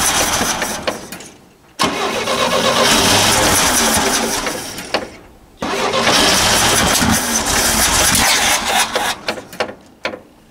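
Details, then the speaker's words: 1964 GMC pickup 305 V6, first start after about 15 years sitting: long cranking bursts with loud irregular firing and a pop/fireball catching on poured gas; starting fluid ineffective, wiring or fuel supply suspected; hard start with backfire. "a big Fireball yep well I don't know maybe the maybe the wires aren't on right I don't know this wire I don't think it's getting enough gas"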